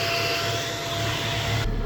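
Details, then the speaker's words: Ford FG Falcon transmission oil heat exchanger cooling fan, wired to air-conditioning relay, with A/C on: smooth steady whooshing whir, no rattle or rubbing; fan runs normally. "Now, now I've got the air conditioner on. So, that means as you can hear, this fan comes on 90% of the time. There it is."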